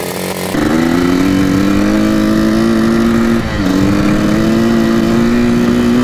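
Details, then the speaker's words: 1984 Yamaha YZ 490 dirt bike, warmed up, choke off, first test ride on a lawn: engine note climbs slowly and sags mid-pull, a boggy, sluggish throttle response; cause not confirmed. "take her for a test drive around the lawn click here as you can hear a pretty dank boggy I'm pretty scared of this"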